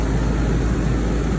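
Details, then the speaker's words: 2-ton AC outdoor compressor unit after replacing the condenser fan motor, which had leaking bearings and shaft play, and reinstalling the run capacitor: fan starts, turns in the correct direction with a smooth low whoosh, no ticking or scraping. "so we shall see if she fires up and she does she moves nicely in the correct direction nice"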